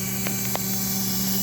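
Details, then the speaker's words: Rebuilt model train S'ta Rosa DC motor (vintage PulMor armature, six magnets, RC front ball bearing) at 17 V drawing about 0.4 A: steady, even hum with a clean constant tone and a couple of faint ticks; normal smooth running. "i'm telling you it's a hummer it's a hummer 12 volts 0.4 13 volts 0.4"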